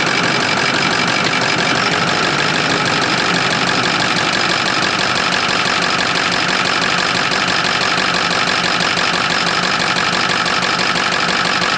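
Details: 2006 Ford F-550 6.0L Powerstroke diesel idling after a blue spring kit install in the fuel pressure regulator. A destroyed O-ring had leaked fuel, giving 45 PSI or less that dropped when moving; now 65 PSI. Steady, even clatter with no misses, sounds healthy.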